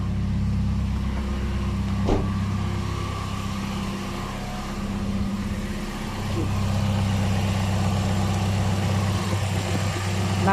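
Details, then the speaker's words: Old high-use Toyota Vios at idle with A/C running after fitting an A/C idle-up box; before the fix, idle fell from 900 to 400–500 rpm with shaking. Now idle lifts to about 1,000 rpm then settles near 900 and holds as a steady, even low hum with no dips or shake. "อ่ารอบเครื่องจะดีดขึ้นนะครับปึ๊บประมาณได้ประมาณ1,000แล้วก็90000โอเคอตอนนี้แอร์ทำงาน"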